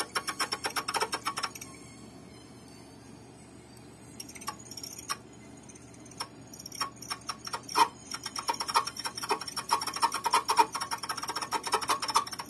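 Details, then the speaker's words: Columbia GP-17 record player, reported abnormal noise: faint, uneven ticking through the music during playback, not locked to the beat; motor judged bad; worn turntable motor. "モーターがダメですね"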